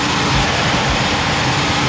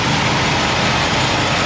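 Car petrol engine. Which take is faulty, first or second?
first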